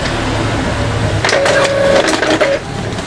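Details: Epson L3210 inkjet printer after repair: a detached lower paper holder was reseated, curing the earlier crackling "kretek" noise. It now feeds and prints smoothly with soft motor whirs and clicks, no snapping. Normal operation.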